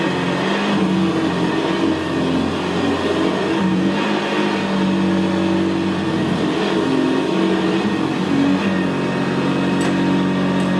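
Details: 1975 Hoover Senior Ranger U4002 vintage upright vacuum on carpet: steady, low, unlabored motor drone with a gravelly brushroll growl, more audible where carpet is squashed down; typical of the Ranger. Normal running.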